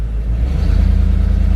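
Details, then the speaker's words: Ford E4OD/4R100 truck with newly installed trans brake valve body, stock engine, tested on flat concrete: engine climbs and holds a steady pulsing low rumble under throttle without moving; trans brake holding properly. "All right. Booyah. What do you think, Lucas? Oh, it's badass. We did it. We have a working valve body."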